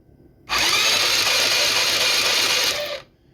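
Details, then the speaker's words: GY6 150cc shortcase engine from Blade 150/RZR170 clone UTV, previously seized, spun by starter via jumper cables with spark plug out: smooth, fast, even whir about two and a half seconds, no catches; engine now turns freely. "That engine ain't locked up no more. I think it spins pretty good."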